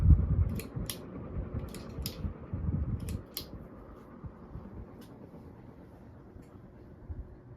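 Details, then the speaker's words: 1978 Dayton/Lasko/Sanyo ceiling fan on low speed with freshly replaced bearings: a few light clicks, then a soft steady hum, no rumble or squeak; quiet, healthy running. "pretty quiet and tame on low but the other two speeds definitely not so that's all"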